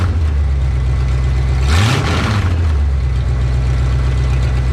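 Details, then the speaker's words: 1984 Ford F-150 with its old 302 V8, just after a new oil pump was installed, revved while checked for leaks at the rear main seal and oil pan: steady low idle, one quick blip settling cleanly, even firing, no knock; healthy. "I'm going to rev up the engine a couple of times and uh we'll see if it's leaking"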